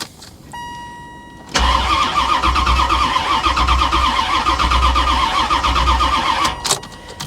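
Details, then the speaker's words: Salvage-auction C4 Corvette suspected to have been sabotaged, fuel pump heard: starter churns about three times a second for five seconds, never fires; cranks but won't start. "yeah i mean she sounds like she cranks pretty good though so whatever is wrong with it as far as why it won't start i"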